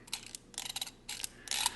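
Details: Minolta MC W.Rokkor-X 28mm f2.8 lens during reassembly, aperture ring rotated to check diaphragm blade movement after adjustment: crisp light clicks in short bursts, each detent snapping evenly; normal aperture ring detent clicks.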